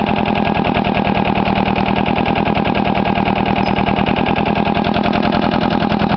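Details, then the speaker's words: Case 360 diesel trencher, auction buy: loud uneven diesel chuffing at about three beats a second with a lumpy, lopsided rhythm; a bad valve means it only starts on one cylinder. Starter is helped by a drill and socket, and the head must come off for a valve job. "bad valve, so it only wants to start on one cylinder."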